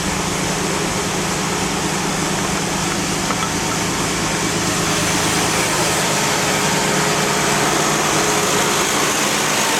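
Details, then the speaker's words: 2001 Toyota Highlander, after all four wheel bearings were replaced: steady rough growl with low droning hum from the turning drivetrain; mechanic blames the leaking, possibly near-empty differential, with the tires another source, later confirmed as the real problem. "on the noise is coming from the differential I'm going to get"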